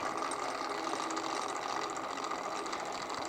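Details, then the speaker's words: Kurt power drawbar, repaired with a cheap Harbor Freight butterfly impact wrench: fast, even rattling hammer while the tool never releases; drawbar not clearing, needs to go up, ratchet to be slid out some. "means it's not clearing and [Music] i need to take it up i need it to go up a little bit it's not clearing"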